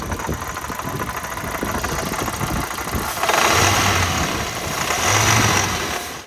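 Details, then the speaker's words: 2003-2008 Toyota Corolla while driving, A/C no longer cold: harsh metallic rattle resembling timing chain slap, rising with revs; replacement A/C field coil's C-clip let go, coil spinning freely on the compressor. "I was driving down the road and I started hearing this terrible rattling noise coming from the engine that sounded sort of like timing chain slap"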